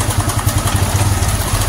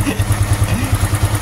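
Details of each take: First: Honda Supra X 125 FI after fitting racing valve springs; loud, rough idle with a constant metallic clatter over the engine beat. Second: Honda Supra X 125 FI after racing valve springs fitted and a cam-chain tensioner noise fix, restarted at slightly high rpm: even low putter with no ticking or chain slap, very smooth; normal idle.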